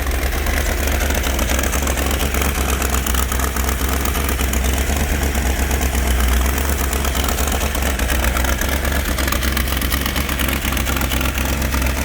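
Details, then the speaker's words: Rebuilt numbers-matching 426 Hemi V8, 425 hp, from a fire-burned Hemicuda, first start on an engine stand after 20 years with old pipes: deep, lumpy steady idle with no knocks, ticks or misses; normal idle. "listen to that oh my that sounds good 425 horsepower 426 hemi"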